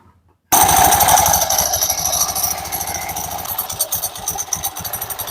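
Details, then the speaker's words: Honda Beat Pop scooter, CVT cover removed, engine idling: fast, loose metallic clatter that keeps going without easing off; the CVT clutch is rattling with worn rollers. "Saat kita membuka penutup CVT seperti ini, suaranya sangat jelas terdengar. Bunyinya berderak seperti ini, Anda tahu."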